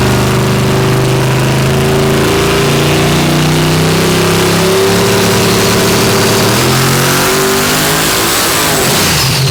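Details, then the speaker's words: Bad Apple V8 drag car on a hub dyno: engine climbs slowly, bogged and heavy through the rpm range under load; good-running motor, but the high-dollar torque converter's stall is far too tight and wrong for the setup. "you could just hear how tight it is going through the rpm range like yeah zero percent the converter like it's just not right for the setup"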